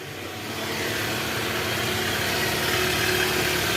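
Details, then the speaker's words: 2013 Toyota Alphard, 2AZ-FE engine, after replacing a destroyed balancer shaft, listened from the side: smooth, steady idle with an even hiss, no rough grinding or shake, far smoother than before; normal idle. "Oke Guys sekarang suara mesinnya udah jauh jauh jauh lebih halus ya guys"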